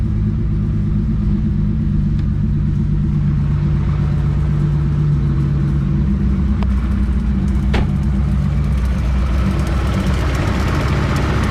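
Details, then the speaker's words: Ferrari 365GTC4 carbureted V12, ice-cold start after carburetor strip-down fixing non-functioning accelerator pump jets (previously wouldn't start, ran poorly): deep steady rumble, picks up cleanly on light throttle without stumbling; normal cold start and throttle response. "on just going to fire it up and show you um how well it runs now with the um with the accelerator pumps fixed so this car is ice cold this morning before I finish up I'm going to just fire it up for you turn on the key let the fuel pump fill a little bit give it a couple cups of [Music] gas it's ice cold but way more"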